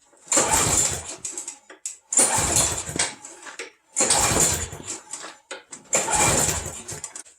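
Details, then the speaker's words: John Deere 14SZ mower, first start of the season on a cold day: four recoil pulls about two seconds apart, each a brief rasping spin that dies without catching; hard starting, no fire, cold suspected. "don't think these mowers like the cold it's kind of cool today"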